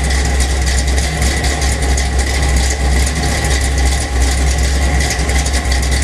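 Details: 1977 Chevy Silverado K10, 406 small block with Crane Energizer 302H cam, 750 Holley double pumper, Weiand intake, 1 5/8 Dynomax headers, 2.5-inch Flowmaster exhaust, MSD distributor: deep, lumpy, loping V8 idle that never smooths out; rough idle.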